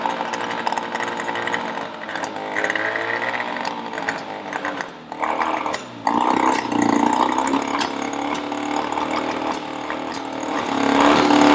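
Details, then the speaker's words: Yamaha 20hp two-stroke outboard after head gasket replacement, compression earlier 100 and 95: buzzes with wandering, surging pitch and sharp pops; still runs rough with backfiring, timing next to be checked. "it still runs terribly so it hasn't solved the problem but next week we'll look into the timing and all sorts of other issues that might be causing this backfiring"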